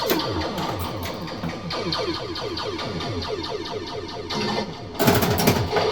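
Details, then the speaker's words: Eightball Deluxe pinball machine that previously had no sound, tested after repair during a game. Game music and effects play clearly and steadily with louder bursts: the sound system now works normally. "and you see you see that that background sound it's kind of the machine actually go a little louder"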